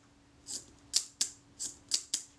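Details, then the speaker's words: Agfa Record II folding camera, serviced Synchro-Compur leaf shutter, tested at B, 1 second and 1/10 second after reassembly: crisp, light, even metallic clicks in quick succession; shutter opens and closes properly, normal operation. "That sounded credible to me."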